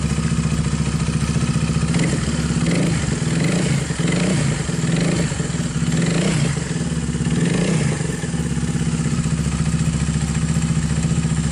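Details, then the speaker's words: Viar 150 single-cylinder engine that clattered from the cam chain; after fitting a thicker cam chain tensioner and eccentric gear, an even, steady idle with a few quick throttle blips and no top-end clatter. Runs normally. "Hai jadi mesinnya sudah kembali normal dan halus teman-temannya"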